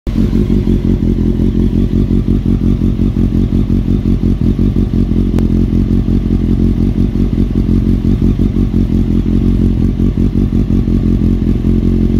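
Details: Honda CBR954 before installing new cam chain: steady idle with fast, uneven metallic clatter over the firing beat; top-end rattle, cam chain suspected.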